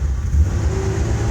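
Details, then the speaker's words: 1994 Ford Ranger 4.0 OHV, new MAF, plugs and TPS, fuel pressure nominal, plugs very rich: starts easily then stumbles, misfires and hunts for rpm under light throttle; owner suspects ignition cutting out, cause unconfirmed. "searching for searching for a spark or something I don't know but that's the issue"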